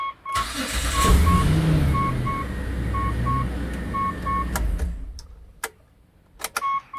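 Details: Start after fitting a new starter, replacing one whose bendix drive spring had given out and no longer pushed: short crank, clean catch into steady idle, door chime beeping; starter engages and releases properly. Warning light on, expected to clear after about 2 km.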